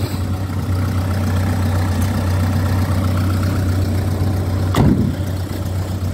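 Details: 1997 Ford Escort 55 D diesel van, warm: even, steady low diesel clatter at idle with no knocks or misses apart from one brief bump; a healthy engine ticking over.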